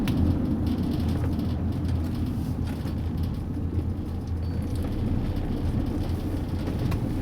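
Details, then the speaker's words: Diesel engine with gas/hydrogen injection switched on, pulling away in third gear: deep steady low rumble with no stutter or misfire; runs smoothly at very low revs, which would stutter without gas. "so the engine is running very very low so in fact i'm in third gear just pulling away in third"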